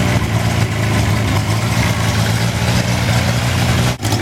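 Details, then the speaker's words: Wolseley 14/56 14/60 six-cylinder engine on a stand, first start after years of storage and oil change, warming up: steady, even idle with smooth low beat, no knocks or misses; a bit fumy, smells of fuel and some blue oil smoke; normal idle. "there's a good tune up bit fumy it's starting to warm up a bit now all the same not a bad result at all"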